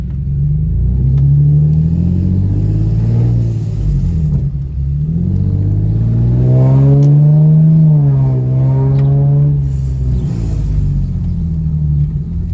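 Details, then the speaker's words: Infiniti G37 driven with the windows down before a gasket-maker repair: a harsh, fast puttering rasp over the engine, likened to a coasting bike chain or go-kart, rising and falling with revs under acceleration; exhaust leak. "i'm gonna drive so you guys can hear it it just sounds horrible"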